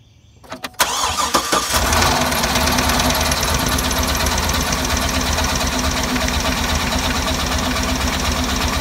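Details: Cadillac Escalade: cranks and catches, then settles into an uneven, stumbling idle with irregular lumps in the exhaust beat; engine misfire.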